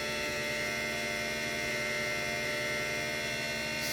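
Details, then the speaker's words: 3D-printed axial-flux BLDC motor on an Arduino controller, first run: steady loud electrical hum with a high whine at constant speed, noisy from startup; speed control works, then a burning smell, possible overheating. "wow it's kind of weird kind of noisy there at startup you can hear the speed controller speed control is working good"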